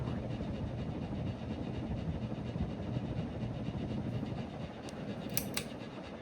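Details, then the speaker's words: 48-inch Harbor Breeze Cobra Elite three-blade ceiling fan on low: steady low hum and fluttering whoosh, helicopter-like, with a loud buzzy edge, likely vibration in the fan or its mounting. "Sounds like a helicopter, too, with the three blades. That buzzing is so loud."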